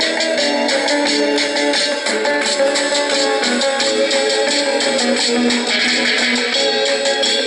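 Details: Norelco 1230 cassette recorder, roughly 50 years old, playing guitar music loud through its thin, bassless small speaker; steady with no dropouts or level dips; normal tape playback.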